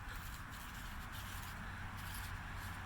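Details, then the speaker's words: 2005 SAAB 9-3 Aero sedan strut bearing, removed and turned by hand: continuous dry, scratchy grinding of a worn, gritty bearing. "now we find our prize our wonderful strut bearing that sounds like it's full of french toast"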